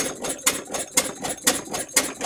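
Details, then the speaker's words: Westbury Wyvern open-crank model stationary engine, probably built around 1985, bolted to a workbench and started on choke with fresh fuel in the carb: sharp, regular firing pops about twice a second with light mechanical clatter between them, running normally. "that was a positive sound the sort of noises we want to hear"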